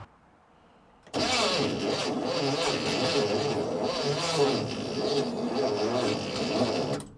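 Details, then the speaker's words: 1972 International Cargostar, old engine on a known good battery: sluggish, labored cranking about six seconds, never picks up speed or fires; too slow to start, owner suspects a tired starter or bad ground. "okay well it's definitely not fast enough to start it is turning over"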